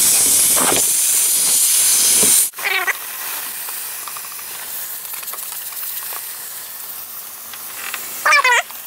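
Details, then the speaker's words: Intercooler system on a homemade pressure tester at about 12.5 psi of boost: loud, steady hiss of air escaping, then it drops away; boost leak at an o-ring needing replacement. "we got some leeks you can hear it so that over I need to change and go so ring this is blasting arrow right there"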